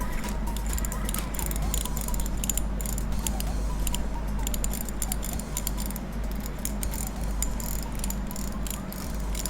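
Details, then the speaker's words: Daiwa Revros LT 4000/6000H (2019-2020) spinning reel after drag clicker adjustment: faint rapid light ticking as the drag turns, somewhat clearer than before but still soft and easily lost; weak drag clicker. "มีเสียงก็ดังขึ้นมานะครับก็ชัดขึ้นมานิดหน่อยนะครับแต่ไม่ถึงกับว่าดังก้องกังวานนะครับ"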